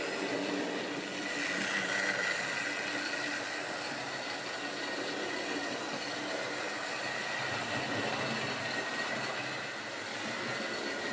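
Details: Wrenn West Country class model loco Lyme Regis, not run since the 80s, after joints greased and reassembly: steady high-pitched motor whir with even light clatter, no catches or stalls; runs smoothly.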